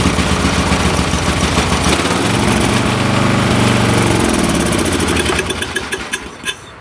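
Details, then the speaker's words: Late-1980s/1990s lawn tractor: rough uneven chugging that sags and dies after a few seconds, running only on choke. The carburetor is suspected gummed or plugged (turpentine smell), so carb cleaner is sprayed in. Choke cable is very tight. "now this carburetor must be gummed up because I can smell turpentine so I'm going to spray card cleaner right in here it only runs on choke"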